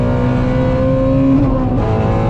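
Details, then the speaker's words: Ford Mustang GT350R after new tune from Palm Beach Dyno to fix a long-standing issue, advanced track mode off: strong clean full-throttle pull, pitch climbing steadily with no stumble; driver slow-shifting, says it's ripping and way different now. "Like I was slow shifting because I don't know what it's gonna do, and it's ripping. That is way different."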